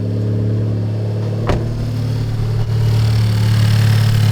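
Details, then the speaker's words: Honda Civic Type R after spark plug change, done for sketchy start-ups and misfire at wide-open throttle, valve cover off: brief catch then steady, even hum; starts easily and idles smoothly. "Hopefully it starts right up with no issues. Gee. Easy start up."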